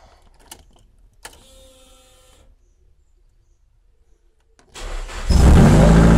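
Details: Nissan Silvia, first start after repair; silence, short crank, then catches and settles into a steady even idle, a clean healthy start.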